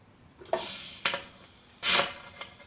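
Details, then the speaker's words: TIG welding a lawn roller out of position with a CK Worldwide torch: sharp irregular popping and crackling over a thin hissy arc after dipping the tungsten into the puddle; tungsten needs regrinding. "You guys hear that sound? I was in a weird position, but you hear that popping and crackling? That was me dipping the tungsten."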